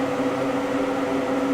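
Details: Inexpensive, slightly humming duct fan on a homemade test stand, before grille fitted: steady rush of air swirling through the duct plus low even motor hum, no whistle or flutter; normal airflow.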